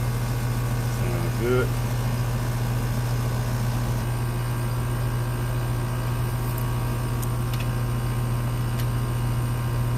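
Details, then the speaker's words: Goodman AC condenser with piston metering, ambient about 77°F, being started and checked with gauges: steady, even low compressor hum with no clatter or stalling; runs smoothly, pressures 152 over 275, not freezing up. "And we should get that old good old compressor sound. All right. I'm trying to get my gauges. Let's see. I heard it."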